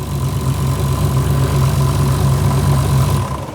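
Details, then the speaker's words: Nissan Skyline R32 GT-R twin-turbo forged RB26DETT on the dyno, checked for a suspected misfire; deep, steady idle with even low burble, no stumbles or skipped beats before winding down, idling cleanly with no misfire. "Great success. There's no misfire there."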